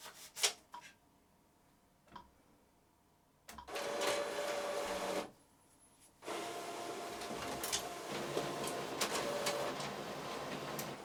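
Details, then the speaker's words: Epson EcoTank ET-16600 A3 automatic document feeder after stripdown and replacing one small faulty gear: short bursts of even whirring, steady mid-pitched hum and light rhythmic ticking as sheets feed; smooth and healthy, grinding gone. "All right, that's it working."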